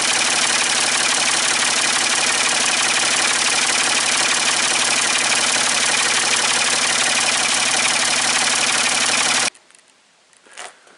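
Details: Ford 550 TLB backhoe, 3-cylinder diesel, after reassembly and injector fuel bleeding, cool day: even idle clatter about 214 beats a minute without stumbling, then clean shutdown; running healthy, only a small injector return-line drip.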